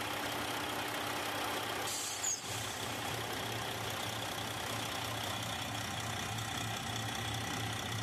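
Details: Detroit 60 Series diesel after heater hose replacement and coolant refill, possibly with some air in the system; steady, even idle with a low regular throb and one brief air hiss; runs smoothly, normal idle.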